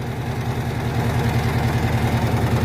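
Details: Electrolux Jet Clean 16 kg washing machine spin cycle: deep, fast drumming rumble as the cabinet shakes from a loose leveling foot; fixed by turning and tightening the foot.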